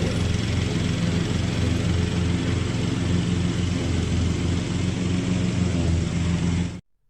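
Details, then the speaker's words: Cub Cadet riding mower about one year old climbing a hill: it downshifts and gives itself gas, and a steady, even low drone holds firm with no surging or knocking. The engine is pulling the hill normally. "But if you'll listen, you'll hear this thing. It sort of downshifts and gives itself some gas, and it pulls right up this hill."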